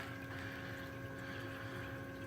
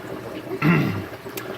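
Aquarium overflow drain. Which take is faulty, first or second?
second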